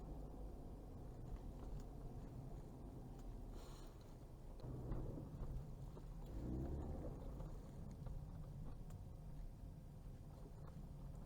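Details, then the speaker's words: Ford Fusion 4x4 EcoBoost after repair of rear AWD shudder and vibration when turning the wheel fully and accelerating: creeping through a tight turn with only a smooth low rumble, no clunks, shudder or noise. "100% faz barulho nenhum outro lado agora para testar para os dois lados vamos lá então"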